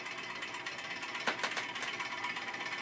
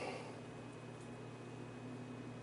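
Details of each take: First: Vintage Arctic Air fan, bearings oiled, run on a variac with a series 150 W bulb: soft whirring with a faint tick each turn, once or twice per second. Owner suspected a bent blade; the shaft is loose, pointing to a loose blade hub. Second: Vintage Arctic Air fan running after prying off painted metal hub cap, before hub cleaned and reattached: quiet steady low motor hum with soft air rush, no ticking or rubbing; normal running.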